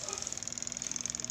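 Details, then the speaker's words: Spin dryer that won't spin, motor checked OK: fast even fine ticking, about fifteen a second, with no motor hum. The timer runs and ticks, but its contacts don't close, so the timer is faulty and needs replacing. "Ayaw gumana e ang ibig sabihin niyan Ay Sira yung timer natin pero tumutunog siya ayan oh tumutunog"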